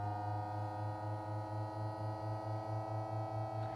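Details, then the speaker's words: VW California pop-up roof opening with ignition on, via the menu and the open button. Low, steady motor hum with a soft pulse about twice a second, even and unstrained: the roof motor runs normally. "and then with the main lever drawn back, press the open button and you'll hear the motor engage and the roof will start to open."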